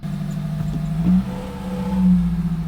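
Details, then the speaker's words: Toyota Celica idling, heard from inside the cabin after replacing only two motor mounts, including the destroyed passenger mount: a low, smooth, even hum with no knocks. This ends 3–4 years of loud engine noise in the cabin. "I've been driving this car for the past 3 to 4 years now with the cabin noise inside, with the engine noise inside the cabin. It's been so annoying. That was only 2 motor mounts."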